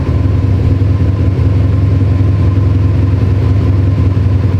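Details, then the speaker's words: Built Subaru STI loud low idle with an uneven lumpy pulse, about three beats a second; cylinder 4 misfire, up to 35 roughness counts. Swapping injectors 2 and 4 did not move it; all cylinders show slight roughness. Cause unknown. "it's still cylinder four giving us issues all cylinders have a little bit of roughness but it's mainly four"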